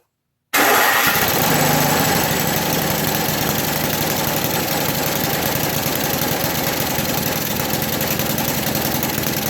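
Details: 1980 MTD SnowFlite 5-20 snowblower on a new carburetor, main mixture screw opened one turn from fully closed: engine fires quickly and settles into a steady, even run with no surging or stumbling; running properly.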